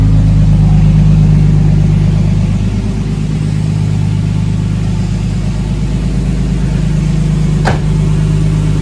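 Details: Big-turbo Nissan R32 Skyline on third start, owner-adjusted basemap, no boost, warming up: steady idle, revs climb with hesitation and scattered pops and bangs from the exhaust; engine definitely not tuned, needs mapping by a tuner.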